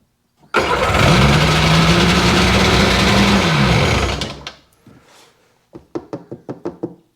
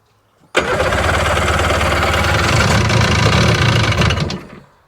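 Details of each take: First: 2001 Sea-Doo GTX RFI 787 fuel-injected two-stroke: long rough crank with a rising, labouring note, fails to catch, dies after about four seconds, then clicks; plugs soaking wet with gasoline, injectors suspected of over-fuelling; flooded hard start. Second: 2001 Sea-Doo GTX RFI 787 two-stroke, throttle position sensor on, idle turned down after it had been idling too high: catches and settles into an even, fairly quick idle with a steady low beat. Normal idle.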